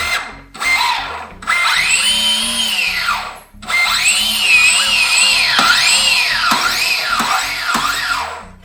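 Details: Clean whine from the Turbo Timber Evolution RC plane's electric motor, heard just after binding the receiver and ESC. It rises and falls smoothly with each throttle blip, with no stutter or grinding. Normal motor run-up.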